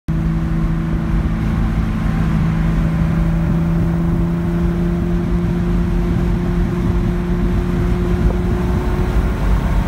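Low idle drone with an uneven, stumbling beat instead of a smooth run; a misfire whose cause isn't clear from the sound.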